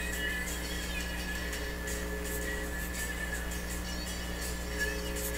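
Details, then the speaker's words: Telefunken record changer with a vintage cartridge that is weak on one channel, one side reading zero, possibly from a disconnected wire: a steady low mains buzz with faint overtones and no program sound appears when a hand nears the wire. The cause is unknown. "with the hum just getting my hand close to the wire don't know why that would hum like that"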